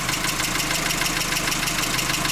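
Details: VW Jetta that arrived on a tow truck, no-start and losing power, now started with a jump pack and a swapped ignition coil. Quick, even, light ticking over a steady idle, typical of a noisy hydraulic lifter.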